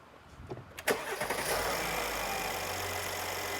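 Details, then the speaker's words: 2017 Mercedes GLS 450 3.0L: crank under a second, fires and settles straight into smooth steady idle; normal quick start, signal much cleaner. "I like how quick it starts now, you know. Turn in the room. Good. That's how it's supposed to be."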